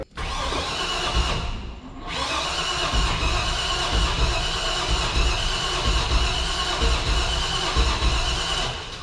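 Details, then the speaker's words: 1985 Chevrolet C30 dually, LS-swapped 6.0 V8, after new fuel pressure regulator: labored slow cranking, about four strokes a second for nine seconds, never fires; owner suspects damage or fuel dumping from shorted power or ground. "Yeah, it's not doing so hot at the old turning over thing. So I don't know if we damaged something, Duff, or if it's dumping fuel again."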